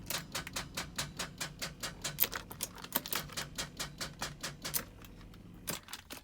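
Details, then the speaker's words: Salvage-rebuilt Ferrari 456 with key in ignition: faint buzz, dim dash lights and rapid even clicking about two or three times a second, no cranking and no start; flat battery. "So as you saw, key in the ignition, faint lights in the background, bit of clicking, but definitely no start. Basically, we've got a flat battery."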